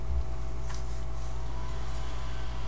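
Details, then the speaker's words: Gateway M-2626u laptop cooling fan after cleaning off gummed WD-40 and applying graphite oil: a steady, low, even hum with no rattle, ticking or scraping. Normal, quiet fan. "pretty quiet yeah yeah I think that did the trick"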